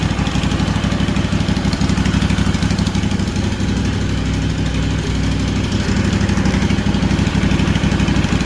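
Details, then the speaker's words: Freshly rebuilt Kawasaki FR730V V-twin in a Cub Cadet SX60, just started; even, steady thump, no stumbles, knocks or rattles; no fuel or oil leaks. Normal idle. "No fuel leaks, no oil leaks. Sounds good, don't it?"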